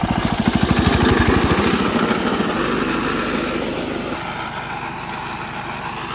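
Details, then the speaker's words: Wheel Horse mower deck engaged after new bearings and a homemade spacer were installed, heard from a distance: loud roar with fast throbbing beat, far too loud; owner suspects center pulley rubbing the screws, possibly bearings. "Yeah, that's too loud. Yeah, that's way too loud. It should not be that loud. It's almost as loud as it was before."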